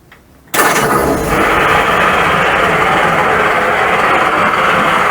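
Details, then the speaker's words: 1941 Ford pickup: loud, harsh rattling clatter at idle with no quiet gaps; generator suspected, then owner suspects reconditioned pump; not confirmed. "Just from the sound of it, it sounds like it's this pump, which is a bit annoying because that was the one that was bought as a reconditioned pump."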